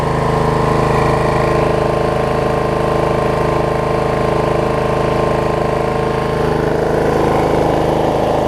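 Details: Snapper 28-inch rear engine rider mower after plug pulled and refitted, owner suspecting bad or too much gas had stopped it starting: smooth, steady engine hum with even beat, no surging or missing; running healthy.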